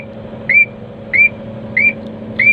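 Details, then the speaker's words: Crane computer setup: short rising chirps repeat about every 0.65 seconds over a low engine hum as the anti-two-block (ATB) warning keeps sounding. "ya teman-teman, ini kan ATP-nya masih bunyi terus ya kan."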